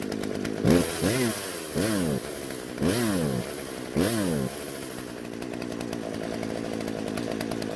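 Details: Husqvarna chainsaw that wouldn't start, after both carburetor screws were turned out slightly to richen it: clean crisp revs about once a second, then a smooth even idle; running healthy.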